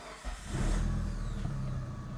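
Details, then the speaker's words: Mitsubishi Lancer Evo 7 after a split belt was cut off to cure an alarming noise, car back on the ground rolling in neutral, forward and back: low steady engine rumble with no knocking or grinding; drivetrain quiet and healthy. "All right. So, she sounds good."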